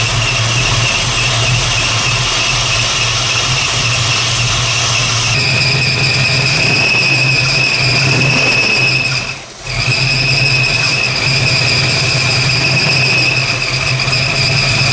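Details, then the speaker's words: 1968 Plymouth Barracuda, ATK crate V8 with new ACES EFI distributor, first fire-up: loud steady squeal over the idle holding through a rev; owner suspects something loose, belt likely running off a rib and slipping. "you got to figure out why my belt's squeaking so bad shouldn't be doing that wonder if I have something loose maybe"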